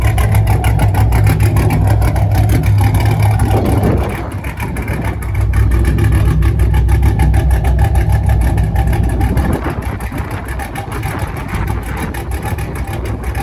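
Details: 5th-gen Camaro V8 after broken-piston repair, DOD/AFM delete and Texas Speed 224R cam, on half a tank of super: steady, even deep idle with no rattle or stumble; driving fine, not turning off or loading up; normal idle.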